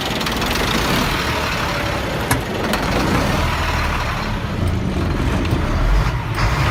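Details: 1999 Freightliner diesel truck, heavy low idle swelling and sagging unevenly: rough surging idle with blue-gray exhaust smoke under the belly box; owner suspects bad fuel pressure sensor, hard start/no start; later dies then idles steady.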